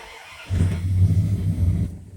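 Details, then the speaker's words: V8 true cold start after sitting about a month: brief crank, catches at once and settles into a deep steady rumble, no warning lights; healthy cold start. "fired right up you don't have any warning lights"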